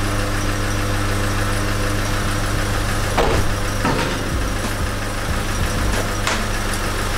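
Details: BMW E30 316 with the M40 petrol engine, first start after about 18 months, once the fuel pump was confirmed running: catches and settles into a steady, even low idle with a few throttle blips.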